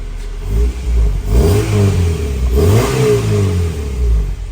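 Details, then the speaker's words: EG Honda Civic with a newly installed B18C1 GSR engine, car sat 14 years: two crisp, clean revs with pitch rising smoothly with throttle and no knocks or rattles, a healthy four-cylinder. "so far that sounds good that sounds great you going to rev"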